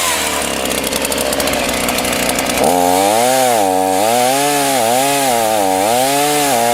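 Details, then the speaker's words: Titan TTL759CHN petrol chainsaw, heavily used over winter, cutting at full throttle: screams then revs sag and surge every second or so; bogging at high revs, progressively worse, carburetor suspected. "this was pretty much the bunch of saws that would bog down on high revs and in the video you may see this it's progressively got worse"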